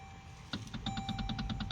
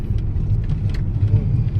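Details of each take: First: Toyota Alphard AGH30, parked and with the steering wheel shaken, gives quick loose metallic clunks near the steering column, also heard over potholes; a cracked plastic gear in the power steering motor. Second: Toyota Alphard AGH30 after repair: steady low engine rumble, no knocking as steering wheel is rocked; previous clunk over bumps from plastic gear at steering column motor, gear replaced.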